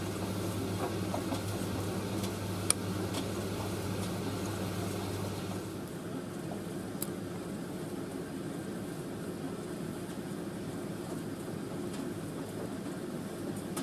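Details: Indesit IS31V 3kg compact reversing tumble dryer drying a load including a cover, drum reversing about every 70 seconds, before final cooldown; low steady hum and soft drum rumble, motor note settling lower midway, no knocks or squeals, running normally.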